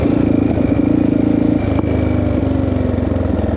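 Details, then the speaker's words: 1984 Yamaha XT600 single-cylinder after swap to correct standard jets, desert test: steady thump with sharp pop each time throttle closes, owner suspects lean fueling, breaking up at top end, likely main jet. "Still popping. As soon as you let off the throttle, she pops."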